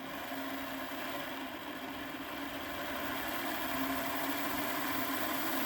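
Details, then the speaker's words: Hornby Class 57 diesel-electric model locomotive on a rolling road test bed after repair with heavier replacement wires; at 11 volts, drawing just under 0.1 A, a smooth even motor whir with no stutter or rattle, running fine. "and you can hear she's running looking at the voltmeter eleven volts diameter zero 0.1 0 just below 0.1 which is really good for one of these"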